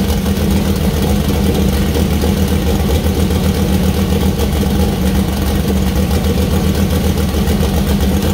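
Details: First start-up of new 2000+hp LS build (Dart block, 4in stroke, 4.140 bore, Brodix BR3 heads, .750 solid roller cam): deep heavy V8 burble, steady even lope, strong firing pulses; healthy and settled idle.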